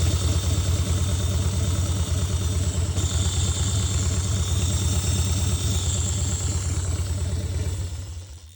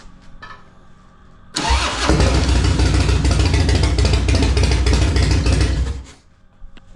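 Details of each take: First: 2000 Harley-Davidson Dyna FXDX at idle: loud lumpy idle with a steady metallic clatter, about three raps a second, from the cam chest; the cam chain tensioner had come apart, pieces found, bottom end undamaged. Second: 2000 Harley Dyna FXDX, started the day after its broken cam chain tensioner was replaced with a Feuling cam chest kit (HP+ cam plate, oil pump, Reaper 525 cams). It catches instantly into a strong, even V-twin lope with no ticking; normal start and idle.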